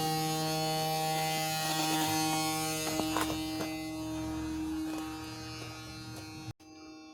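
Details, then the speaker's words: 1987 Kenworth T600 3406B diesel, first start after 20+ years in a field: steady cranking that never catches, oil pressure up; filter primed and gravity-fed, but fuel has not reached all the way through, so the system needs priming. "so we got a little so we're gravity feeding but it's going to take a little while to get it all the way through here because even though we prime the filter and i pump this then it doesn't mean that we actually got fuel all the way through"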